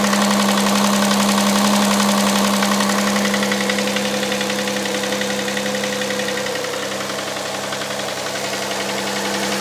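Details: Hyundai Santa Fe CM, 2.7 V6 G6EA, cold start: fast, very even knocking about four per second over steady idle; engine knock when cold, cause not determined.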